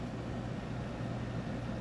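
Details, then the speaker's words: Older Windchaser PACR12 12000 BTU portable air conditioner (R22, made in China, undated), compressor on, set to 60: steady low hum, even drone, no knocking or rattling; runs quite well, normal running. "Yeah, I've already run this. It runs quite well."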